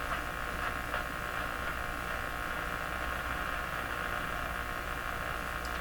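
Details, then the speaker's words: Hallicrafters TW2000 World Wide radio with suspected failing power supply filter capacitors: constant hiss with steady buzzing hum and faint crackles, noise when switching bands, more static than typical, abnormal static and hum. "I'm sure it's not supposed to make that noise when you switch bands they would have done something about that one too high that's not typical static for this"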